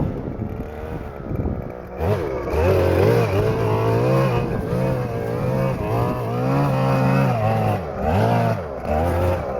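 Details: Stihl FS-250R two-stroke string trimmer after carburetor rebuild kit (old diaphragm had hardened from sitting with stale gas), cutting wet grass in rain: revs up cleanly, holds speed into grass, drops and recovers smoothly; normal running under load.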